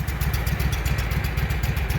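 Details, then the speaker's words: Walker mower brought in for backfiring through the carburetor, after freeing a rusted, stuck part and spraying PB Blaster: low, even putter at a slow idle with regular firing pulses and no misses or pops; idles smoothly. "okay let's start it back up and see what she does at the lower idle that doesn't sound too bad"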